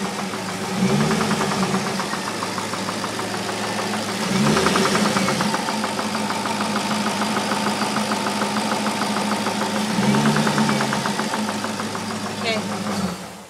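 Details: 2002 Corvette Z06 V8 at idle and on blips: fast uneven ticking knock about three a second, rising with each blip; internal knock, cause unknown.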